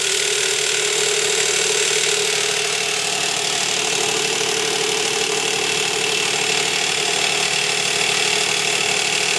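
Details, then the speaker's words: 2005 Nissan Quest 3.5 V6 at steady idle: loud metallic chatter about three beats a second; slack timing chain because the tensioner guide broke and slid down, plunger pushing on its metal backing. "the chain is making a tremendous amount of noise because of the way that tensioner is writing"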